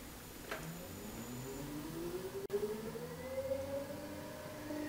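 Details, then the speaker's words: Elliott 10M shaper electric motor spinning up: a smooth rising hum with very little grumbling, so the motor bearings are quiet and healthy and the noise lies elsewhere. "well now that I get to it I find that the motor bearings are pretty quiet listen to this"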